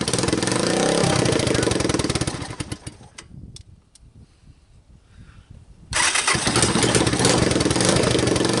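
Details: Vintage Honda TRX250 ATV on a jump pack with starting fluid, after harness and key/handlebar switch repairs: fast even single-cylinder putter dips briefly, then catches and runs strong and steady; starts normally.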